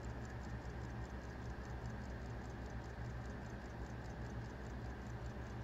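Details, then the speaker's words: 1800s American Waltham pocket watch with homemade balance staff, hairspring-side pivot cone modified and jewel cap fixed; quiet, even, crisp ticking at a steady rate with no clunks, balance running properly. "you can see it's perfect perfectly flat there there's no movement at all so it's riding really nice on that in that jewel hole with the cap tool that I fixed"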